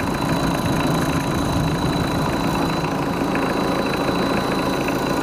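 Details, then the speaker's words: Mitsubishi 4D56 turbo diesel just after overhaul for compression failure, freshly started with oil not yet fully circulated, oil pressure up, about 2 bar at 1000-1500 rpm, radiator leak pending: steady even idle clatter, no knocks or misses; smooth. "suaranya pun juga halus tapi maklum masih baru hidup belum rata olinya udah naik"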